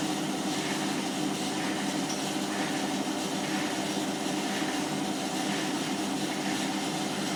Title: My Hotpoint Washing Machine is Making a bit of a Squeaking and Scraping Noise when Spinning on 30c